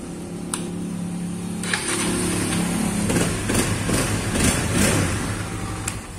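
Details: Honda CB150R fuel-injected motorcycle revving normally after repair, catching each quick throttle blip and settling cleanly without stalling; previously it died when the throttle was snapped open or released, and stumbled at low rpm. Fitted with a Vario 125 ignition coil.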